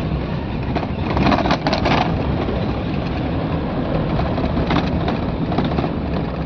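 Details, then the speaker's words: 2013 Mahindra Xylo D2 diesel after replacing faulty coolant temperature sensor coupler (DTC P0117): steady, even road drone over bumps with no stumbles, surges, cut-outs or warning lights; normal running. "ये slow करिए गाड़ी में कोई झटका नहीं है और ना ही कोई लाइट है नाही गाड़ी बैंड हो रही है थोड़ी और चला कर देखते हैं गाड़ी को"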